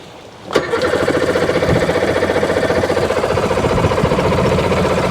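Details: 2001 Sea-Doo GTX RFI 787 two-stroke, said to have had water in the cylinder: sharp starter kick then a steady churning pulse of about four a second that never catches. Hard starting.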